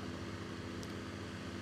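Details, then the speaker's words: Electric fan after lubricating: smooth, even hum with steady low drone and no scraping or rubbing; fan no longer rough, running normally. "Maintenant, le son du ventilateur n'est plus rugueux ."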